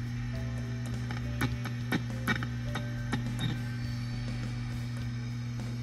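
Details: Warmed-up AC30 guitar amp: loud steady mains hum with ringing pings and crackles when the chassis is disturbed; microphonic, noisy output tubes.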